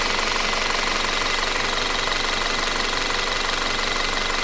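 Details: 2017 Audi Q5 running: fast, fairly even tick over a bright, hissy running sound; suspected timing-chain or valvetrain chatter, cause unconfirmed.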